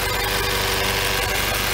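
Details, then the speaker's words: Freshly rebuilt 2012 N14 Mini JCW Coupe warming up at idle, heard from underneath, with new OEM chains, water pump, pulley and belt tensioner. Even, steady idle with no ticking, whine or rattle; healthy. "so you've got an idea it's nice and dry lovely no noise at all i have to say"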